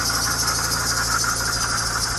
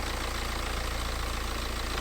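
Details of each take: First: BMW 318d E90/E91 N47 facelift 2.0 L diesel at idle before repair; failed water pump leaking coolant, rattle worsening over about three months. Fast, uneven metallic chatter over the diesel clatter until shutdown; worn water pump bearing rattling. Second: BMW 318d E90/E91 N47 facelift 2.0 L diesel idling after replacing the failed, leaking, rattling water pump and refilling coolant. Steady clatter with an even, regular beat, no uneven knocks or hunting; idling normally.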